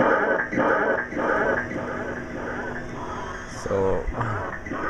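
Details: Sega Enduro arcade machine: right after start, game sound is a jumbled mess of warbling tones and voice-like noise instead of clean effects while video is fine; owner suspects the sound board.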